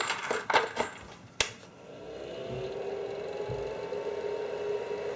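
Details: Creality CR-10S 3D printer control-unit fan after repair, now in push-pull configuration: a few handling clicks, then a steady, even fan whir with smooth level hum, no rattle or grind; normal fan noise, previous intermittent noise fixed.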